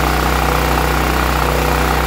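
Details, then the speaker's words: Westinghouse WGEN9500 generator after its surging from bad gas was fixed by pumping in fresh fuel: a steady, even drone holds a constant note with no rise and fall in speed, running smoothly without hunting. "and there we go ladies and gentlemen that fixed our problem"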